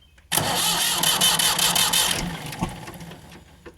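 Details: Ford 4600 tractor diesel with a newly fitted service-exchange injection pump and injector pipes cracked open for bleeding. Cranks with an even churning beat for about two seconds, never catches, then dies away; no start from air in the fuel lines.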